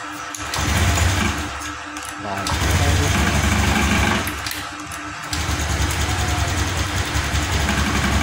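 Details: 2021 Honda Scoopy scooter with new spark plug, new non-original injector and normal fuel pump still sputters: catches, revs unevenly in surges and sags, stumbles and cuts out as throttle opens; blamed on faulty non-original injector.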